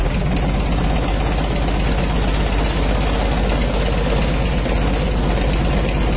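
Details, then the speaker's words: Mitsubishi L300 diesel after engine reassembly and upgrade to a larger-diameter 14B rotor head: even diesel clatter at steady idle, about two hundred beats a minute with no misses; engine runs smooth. "Oke Alor Alhamdulillah sudah hidup dan suaranya halus"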